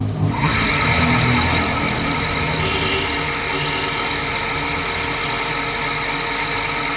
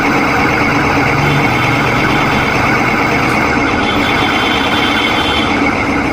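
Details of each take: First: Electric scooter BLDC hub motor after a bearing change, with the mic held close: a steady, even electric whir with a thin high hum and no grinding or knocking; before the change it made a grinding noise. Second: Electric scooter BLDC hub motor, throttle applied on the stand: steady rough grinding whir from worn bearings; if not replaced, the coil or sensor may fail.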